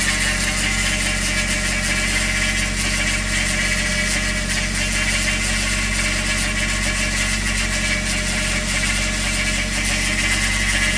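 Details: Toyota 1JZ VVT-i engine with new oil pump, new timing belt and Millers 10W60 oil, cold idle: hissy, rattly top-end noise starting 10–15 s after start as oil pressure builds, disappears once warm; cause unknown.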